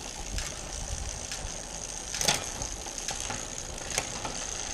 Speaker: now the last check I do I just take it all the way up into the middle of the cassette and then all I'm doing is a quick visual check to make sure that the top jockey wheel is in line with the cassette above which it is so yeah very happy with that he gives a beautifully indexed